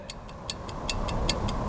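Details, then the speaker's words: Backpacker test recorder's 1-hour chart clock, freshly wound, ticking crisply and evenly about five a second over low room rumble; clock running normally. "In the center you've got the clock. I hope you can hear that. I'll wind it. And maybe you can hear it tick."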